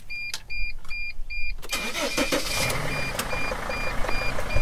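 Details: Mercedes Sprinter diesel after swapping in a replacement relay for a no-start: chime beeping, short crank, catches quickly and settles into steady idle; normal start.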